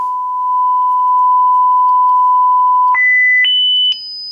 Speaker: 5K still working quite nicely six seven eight nine I can hear that turn yep just about here Audible